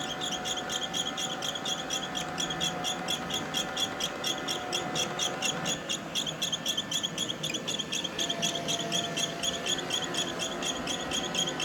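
Sharp, high chirping squeak repeating about four times a second over the soft motor hum; the vacuum is squeaking, cause unclear.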